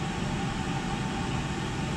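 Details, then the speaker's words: Oil-fired whole-house furnace (275-gallon tank) after filter change, air readjustment and draft opened: steady, even roar with constant low rumble and faint hum, holding flame without cutting out — normal running. "staying on a lot longer doing more than it did last time"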